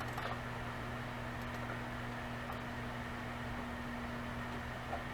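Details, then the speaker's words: Seagate Barracuda ES 750GB 7200rpm server hard drive running with its cover removed and no air seal: steady loud whir, fixed low hum at spindle speed and airy hiss, vibrating the unstabilized shelf; still reads fine. "without the proper air seal it's really loud you may even be able to hear it right now"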